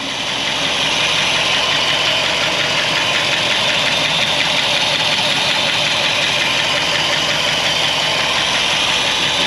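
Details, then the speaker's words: 1964 Buick Electra 225, fire-damaged, just started after revival: loud, raspy, uneven idle with hissy, spitting chuff; exhaust blowing out through holed pipes. "that exhaust is horrible yeah I hear it right we noticed holes in the exhaust and it sounds like it"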